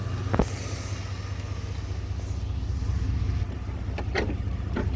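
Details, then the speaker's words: 1991 Chevy Silverado (Gen One OBD) now idling with a steady, even low rumble and no stumbling, after the MAP sensor ground wire was temporarily jumpered to ground; problem appears solved. "Listen to that idle. All right. Think I got the problem solved."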